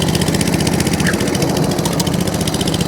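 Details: Mower with fuel drained and blown out, started on choke with some revs: small single-cylinder fires quickly and evenly, picks up cleanly on throttle with no misfire; runs properly, drive works.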